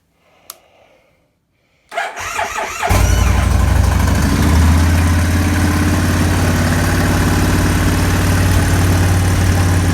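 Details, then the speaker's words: 1998 Kawasaki Vulcan 1500 Classic V-twin cold start after sitting a couple of days at about 50°F, after case bearing repair and battery change: cranks, fires and settles into a steady, deep idle with the earlier rattle gone. "let's start it up cold start i haven't run in a couple days it's not too cold in ohio probably about 50 degrees"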